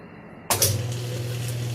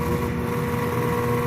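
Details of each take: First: Whirlpool top-load washer on spin after a loose wire connection was fixed: the motor hums steadily but the drum does not spin up; the clutch is suspected of not grabbing. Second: Whirlpool top-load washer drive motor bench-tested, plugged into power but not hooked up, on a washer whose drum was jammed: a steady, even mid-pitched hum with no knocks or rubbing, so the motor is fine.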